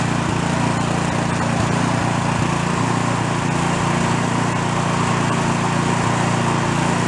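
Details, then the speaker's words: Free small single-cylinder snow blower after carburetor jet change, off choke: steady but slightly ragged beat, running lean; runs a bit better on choke, so owner plans to go one jet size up. "so i think i'm going to go one more size up you can still see when i put the choke on it's running a little bit better"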